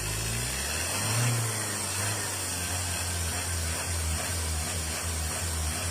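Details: Mazda BT-50 Pro diesel after repair of a no-start fault: steady, even low diesel rumble at idle with no misses, knocks or hunting; engine sounds healthy and settled.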